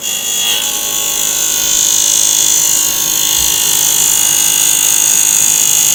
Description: Seems like the blades from the fans at full speed slaps against the plastic cover and causes this noise.